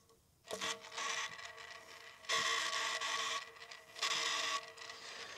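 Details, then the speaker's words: Simpson/Electrolux/Westinghouse clothes dryer motor, bench spun with fan fitted after bowl bearing replacement: three rough gritty scraping bursts fading as it slows, smooth in one direction, noisy the other; worn motor bearings. "That's why he was hearing it fine in one direction and in the other. I think that's maybe clockwise. There you go, folks. That motor is stuffed."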